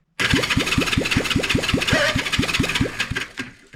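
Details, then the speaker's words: 1975 Honda CB360, compression test on cylinder two: even cranking with sharp puffs about five a second, reading just over 100 psi, a fairly decent cylinder, and oil raised it only slightly; moderate cylinder compression. "so on this one we got just slightly over a hundred pounds compression which makes it a fairly decent cylinder"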